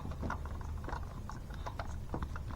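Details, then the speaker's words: Honda Goldwing 1500, cam belt replacement; timing belt tensioner pulley spun by hand was not changed previously, has play, belt also loose. Loose, uneven ticking and gritty rattle; worn tensioner bearing, new tensioners to be ordered. "it's got play in it you can spin it on there it's doing its job but woo she was sacked"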